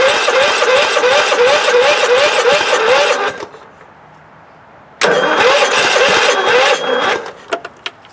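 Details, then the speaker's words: Scott's lawn tractor with a swapped-in Kohler CV16S engine, first start attempt on starting fluid: two bursts of sluggish, labouring starter churn at about three turns a second, never catching. A weak battery is slowing the cranking and needs charging. "Sounds like my battery's getting weak, but it's cranking. And I'm gonna have to charge your battery, I guess."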